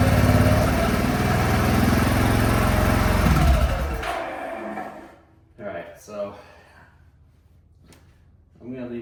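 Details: Zombruin single-cylinder engine after plug wire refitted, fuel off: steady even thrum for about four seconds then dies away; runs cleanly.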